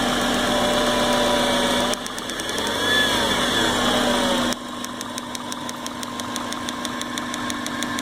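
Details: 1998 Subaru Forester idling with water sprayed on the coil pack: steady hum with sharp ticks, about four a second, as the engine misfires and stumbles; the problem appears when wet or damp.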